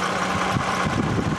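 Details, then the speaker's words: 2007 Toyota Camry XLE V6 at idle: a steady, even idle with a low, slightly truck-like drone and no knocks or clanks; a normal, healthy V6 idle. "it is here it is running and obviously it's not clanking but if you listen to it it sounds a little bit trucky sounds almost like a truck would it be six in it I guess that's what all v6 is sound like"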